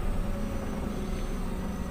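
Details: Avanza/Xenia after replacing a faulty ISC actuator that caused unstable, high idle up to 1500–2000 rpm when cold: now a smooth, even idle near 1,100 rpm before half temperature, dropping to about 900 warm, no hunting or surging; normal idle.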